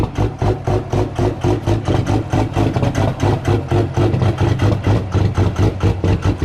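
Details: Cummins diesel truck at -6, grid heaters unplugged, no block heater; uneven surging, stumbling, hunting idle with smoke after freezing start; cold-start lope from unused grid heaters.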